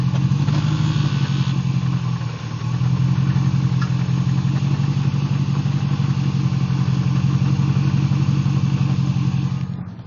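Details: Jeep WJ Grand Cherokee with a 242HD transfer case, driving: heavy low drone with a loose rhythmic rattle from the transfer case.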